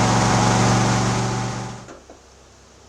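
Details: 2007 John Deere LA135 Briggs V-twin after replacing the right-side (number one) cylinder head for valve guide failure, started on booster with choke up and a little throttle: runs smooth and even at part throttle, then winds down cleanly; healthy.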